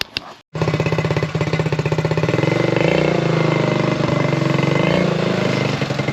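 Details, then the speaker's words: Buggy after carburettor tuning fixed its backfiring, test driven at under 20 km/h: even thumping exhaust pulses about four a second, holding steady with no pops or misses; runs clean, just a loud exhaust. "On vient d'essayer le buggy, donc ouais, ça marche, ça fonctionne."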